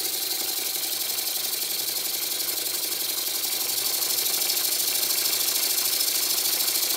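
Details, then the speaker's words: Old model steam engine resembling a Stuart S50 on a Bassett-Lowke plant, run on air with a push-on flywheel and valve timing set: a quick, even hissing chuff, about three beats a second, plenty of power. Normal running. "I set the valve climbing fairly accurately and I'm surprised that it runs this well there's plenty of power as well"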